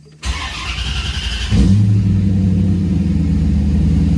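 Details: 1994 Chevrolet Corvette with 25-year-old fuel pump just replaced, first start after swap: steady cranking over a second, then catches cleanly and settles into an even, smooth run; normal healthy start.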